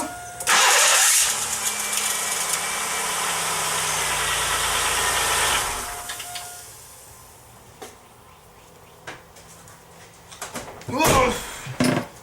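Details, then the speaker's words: 1995 Pontiac Grand Am 3.1L V6, new starter after a 28-thousandths (1/32 in) shim: short harsh starter whir as the engine catches, then a thin high squeal over the idle on key release; starter-to-flywheel clearance still wrong. "Still making that high-pitched squeal when I let off the key."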